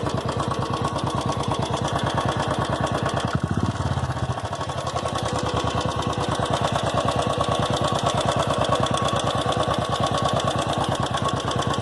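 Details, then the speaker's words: Royal Enfield Classic 350, about a year old, idling: steady single-cylinder thump with a light, regular ticking on top. The clicking began in the first week of ownership and has grown louder; cause unknown. "Today we are going to see about the clicking sound, tick tick sound which is coming from my bike engine."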